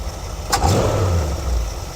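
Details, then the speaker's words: 1973 Ford Econoline E200, 302 V8, after carb clean fixing clogged idle passage, idling about 800 rpm, 19 inches steady vacuum: even idle with a brief throttle blip, no stumbling or misses, much smoother than before; normal idle. "So we are idling much smoother than we were. I don't mind keeping the idle up just a little bit."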